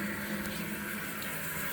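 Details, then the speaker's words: Kohler toilet with a Fluidmaster 400 fill valve, supply valve reopened about a half turn: a steady, even hiss of water filling the tank through the fill tube with no sputter or whistle, a normal refill. "and then technically see there's a fill tube that goes in there and this fills up there we go it filled up"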